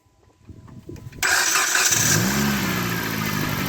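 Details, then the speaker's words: 2009 Dodge Caliber manual after starter motor replacement, which had died with no crank: silence, a brief crank, then the engine catches at once and settles into a steady even idle with no grinding. "oh the Sweet Sweet Sound of success"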